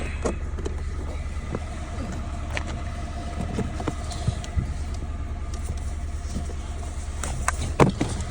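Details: Peugeot 107 after replacing a faulty coil pack that caused a cylinder 2 misfire: small petrol engine idles with a steady, even low hum and no missed beats; misfire fixed.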